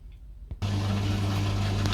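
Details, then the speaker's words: Boiler with a no-hot-water fault, after the fix (aqua sensor / flow turbine) and with hot water running: quiet, then a sudden steady low hum as the burner lights and holds evenly; burner firing normally. "The water's on, you can see it's firing up, the burner's on, so it's all activated."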